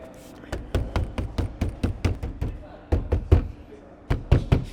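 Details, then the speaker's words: Porsche 992 right-hand door in for sound deadening: knocks on the door card sound hollow, with a short buzzy rattle low down, showing a lot of rattles on the lower door panel and the whole door resonating. "right there yeah that's bad oh and up here there's a lot of rattles as well not too bad on the outside but down below there's a lot there"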